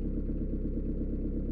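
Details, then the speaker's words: Peugeot/Renault 1.9 diesel after valve clearance adjustment, done to fix rocker tapping, hard morning starts and smoke: low, even idle with no top-end tapping; problem resolved. "voici le résultat final problème est résolu grâce au réglage"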